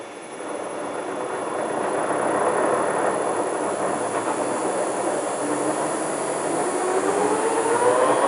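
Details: Transfer box with 1.4 transfer gears on a test bench, in diff lock, shaft speeding up toward 1945 rpm: gear whine climbing in pitch with light tooth rattle; just normal gear teeth noise, goes away with grease.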